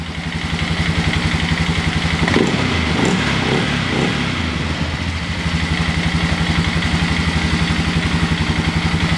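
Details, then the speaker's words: 2000 Sportsman 500 ATV after a fresh engine rebuild and a new starter bendix gear: an even, steady single-cylinder idle with regular firing pulses and no knock or rattle; runs clean and healthy. "this 2000 Sportsman 500 fresh rebuild run sweet can't wait to ride"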